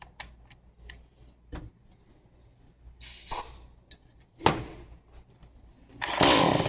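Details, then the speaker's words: Stihl MS 180C chainsaw, spark confirmed, starting fluid sprayed in: mostly quiet pulls then a few short firing bursts dying at once; fires briefly then dies, suspected old fuel. "There we go. So, it's probably just starting on the fuel itself."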